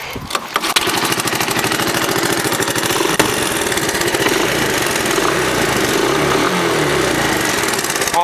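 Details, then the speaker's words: 1982 Honda ATC 200 three-wheeler with stock exhaust, idling after the front-pipe exhaust leak was resealed: a steady, even single-cylinder putter with no puffing or ticking. It is now quiet and no leak can be felt. "I can't feel any leaks right now. Let's go for a little ride and see. That main leak was why it was so loud. Quiet, it sounds like a Prius."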